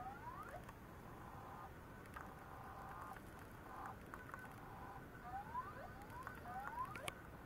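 Quiet irregular chirps and rising squeaks with faint clicks over a low hiss, no steady pattern; sounds like a struggling old drive. Cause suspected, not confirmed.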